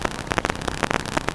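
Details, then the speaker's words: Tube or opamp phono stage with turntable: irregular harsh buzzing pulses and thumps over quiet hum, RF interference from nearby Wi-Fi and cell phones; fixed by moving antennas and phones away. "modern Communications Wi-Fi and cell phones cause a pulsing or thumping noise and it sounds like this"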